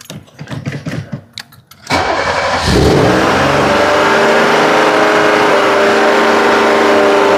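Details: Car's first start after a long winter, with new battery and replaced IAC valve: cranks, catches and shoots up to a high steady idle around 3,000 rpm, staying up for about 5 minutes; new IAC did not fix it, cause unknown.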